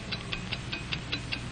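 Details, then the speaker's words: Hamilton mechanical watch: crisp, even ticks at five per second with music underneath. A steady beat from a healthy running watch. "it's the ticking of a fine watch wherever you go whatever you do America's fine watch tick steadily accurately on five ticks every [Music] [Applause] second"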